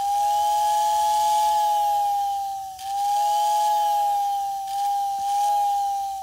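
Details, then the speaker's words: American Flyer whistling billboard after disassembly and repair: a clear steady whistle tone that dips briefly twice and picks back up; the whistle motor is working properly again. "well it looks like we fixed it so i think i can call that a success"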